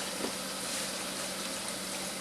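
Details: GE Profile home dishwasher during a timed fill: a steady rushing hiss through the inlet valve with no surges. The float only starts rising near 2:43, and at 3 minutes the water is just at the heating element bottom. The fill level is low and the cause is not yet determined.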